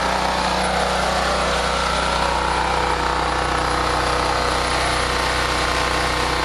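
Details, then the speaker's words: Generator after carburetor replacement for surging; reads 124 volts, 61.8 Hz (target about 3,600 rpm, 60–61 Hz); steady even drone, no hunting; surging fixed, normal steady running. "I think you fixed the problem. 124 volts. 61.8. I think you fixed it."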